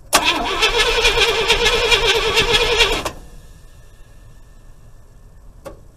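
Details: 1976 IH Scout II Terra 345 V8, fuel present, no spark: fast even cranking for about three seconds with no firing; tests show only about 6 volts instead of 12.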